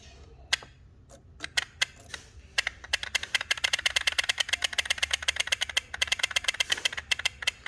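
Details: 2014 Chevy Malibu with code P0011, no power and sluggish: a new timing solenoid bench-tested by touching it to power gives crisp, clean clicks, first scattered then quick and steady. It actuates properly, unlike the old solenoid that stuck.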